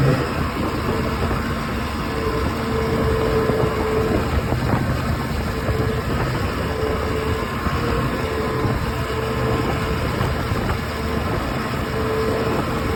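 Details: OX66 outboard with a steady, rough grinding roar under the motor and no clear rhythm; spark plug change stopped it only briefly, compression excellent, prop not slipping, source unknown.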